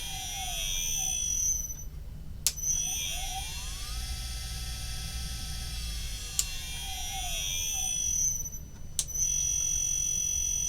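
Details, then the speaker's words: Standard 50 Hz induction motor on a variable-speed drive: smooth whine rising steadily in pitch as it spins up from standstill, no jumps or rough patches; healthy acceleration. "It just smoothly accelerates. All right. So basically when you you can over speed these by running them super synchronous."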